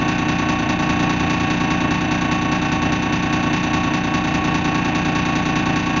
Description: First Manchester Dennis Dart SLF, which has a bad idle! Recorded 20th February 2012.